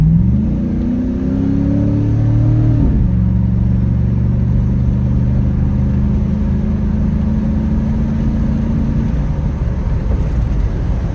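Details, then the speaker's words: 4.8 LS V8 pulling hard under acceleration with a loud, raspy low drone from an exhaust leak, before welding repair. "It'll give you a nice little pull of this exhaust leak."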